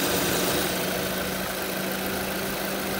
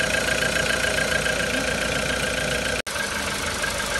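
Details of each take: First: Used VW Polo with the CFNA engine, the one whose pistons do not knock: steady, even idle hum with no knocking or ticking; healthy engine idling smoothly. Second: 2014 VW Polo with the CFNA engine, fully warm at idle: dull, fairly quick, uneven knocking about three per second over the engine note; piston knock suspected, not confirmed.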